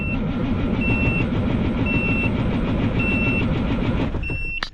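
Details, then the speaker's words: Peterbilt cabover diesel, cold start: steady rapid starter churn at roughly three beats a second, never catches. It is cranked briefly, then left to sit so compression heat builds in the cylinders before the next try. "now did you guys know that if you crank it over you don't want to just crank and crank and crank especially if it's cold crank it over for a little bit let it sit"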